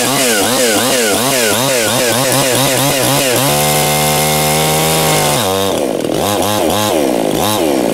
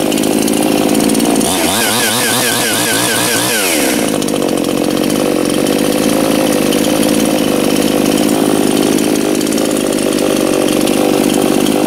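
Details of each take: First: New Anbull chainsaw breaking in, chain brake engaged while throttled: pulsing snarl then steady high drone; the saw has enough power to overpower the chain brake, so the chain keeps turning; brake slipping. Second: New Anbull chainsaw just started, left idling for break-in: brief rev blip, then smooth even idle with no stumbling; normal idle.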